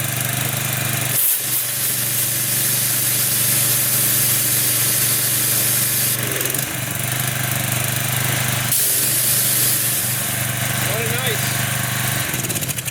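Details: Consumer pressure washer, one of 13 used machines checked, fueled and running with water connected: steady even engine drone with pump hiss over it, no misses or knocks; runs smooth and healthy under load, owner notes fresh oil helps.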